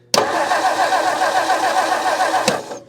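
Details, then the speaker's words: 1959 Meteor left in the bush, coil hot-wired: the starter turns the engine steadily for over two seconds and it never fires, with no spark; corroded ignition parts or point gap suspected. "All right, how's it look? Nothing, we got no spark."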